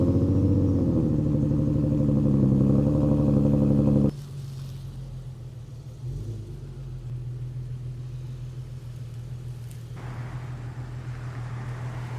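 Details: Flood-damaged auction 2007 Chrysler 300 SRT8 with the 6.1 V8, running after repairs: a loud blip settles into a low, steady, even burble with no misses or knocks. Normal, healthy idle.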